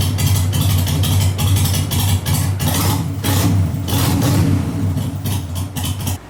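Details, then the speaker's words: 2001 Harley-Davidson Sportster 883 Evo V-twin, CV carburetor just adjusted, cold start on choke: even, loping twin-cylinder idle with a steady beat and no stumbles or misses. Running right after carb tuning. "Okay, so that was good. That's like perfect. I'm gonna lock this down."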